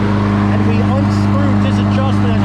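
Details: Craftsman Platinum 190cc self-propelled front-wheel-drive mower after engine swap, old belt refitted: steady, even engine drone with a constant low hum and no slipping squeal or knock; front-wheel drive now works, belt may be worn.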